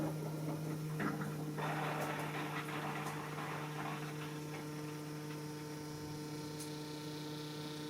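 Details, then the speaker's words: Diesel car after fuel filter replacement during a service, starting: steady electric pump hum with rough hissy bursts early on that then settle as air is pushed through the diesel line; air in fuel line during priming. "Bon allez, c'est parti, on va démarrer le véhicule. Écoute, t'entends? Ça fait un bruit d'air."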